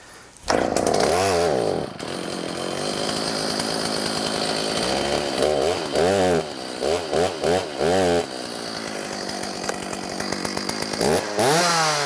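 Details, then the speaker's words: Used Stihl 029 chainsaw with a long-running oil leak, started on choke with fuel of unknown age to check the oil pump pushes oil: starts, idles steadily, revs cleanly up and back; running normally. "all right so my next step is going to be to start it up make sure that I get oil out of that hole right there that'll tell me that it's oiling it's pushing oil like it's supposed to"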